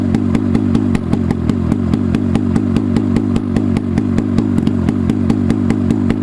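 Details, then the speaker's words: Rusty 440 Hirth two-stroke snowmobile engine for a 1972 Snowjet, bench-run with a swapped carb and open exhaust port; it fires and runs with loud, sharp, even popping about four to five times a second. "Fucking hell. She's done. She runs."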